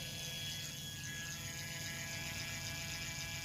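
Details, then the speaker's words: G-body car power window motor, tested in both directions: steady, even, quiet electric whir with no catching, grinding or clicking. Normal window motor operation; the other motor was the fault. "working like it's supposed to reverse it working like it's supposed to quiet and everything so the whole time it was just this Ry motor"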